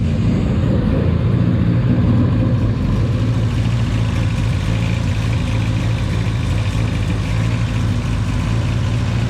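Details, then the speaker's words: Honda Civic, rebuilt engine idling in a garage, no leaks: steady, even idle with a deep, loud exhaust note echoing in the enclosed space, no knocks or rattles; normal idle. "And I think it sounds pretty good. Kind of loud being in the garage, but it's pretty good."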